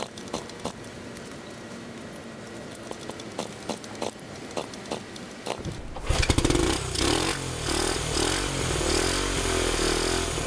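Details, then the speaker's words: 1971 Honda CT90 sold as non-running with low compression, fresh gas replacing old fuel: a few seconds of kickstart clatter, then the single catches and settles into a steady, even putt; normal running. "all right I am uh I'm tired of kicking that thing but man that sounds good so that sounded pretty good"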